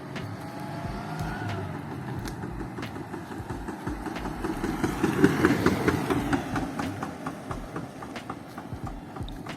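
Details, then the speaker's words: ZAZ 968M Zaporozhets on test drive after Lada 2109 disc brake conversion: sharp metallic knocks, about two a second, over engine and road noise, as the drive shaft, sitting too deep, strikes the suspension arm; spacer ordered. "Hear that knocking? Yeah, hot to miss. Turns out the drive shafts hitting the suspension arm. It's sitting too deep."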